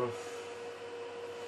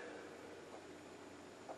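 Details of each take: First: Juniper EX2200 switch with stock fans, during boot, roughly 50 dB in front of it before the Noctua fan swap: steady whirring hum with airy hiss that eases slightly but stays loud; loud cooling fans. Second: Juniper EX2200 switch booting after a fan mod with two new quieter fans: very faint, even fan hiss with light ticks, quieter than breathing. Fans running quiet and normal.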